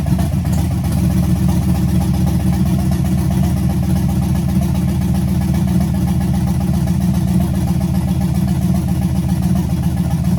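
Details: Chevrolet C10 with LS swap, first start after rewiring with makeshift relay: loud deep even rumble, fast steady beat, no misses or knocks; heat gun confirms all cylinders firing, normal running.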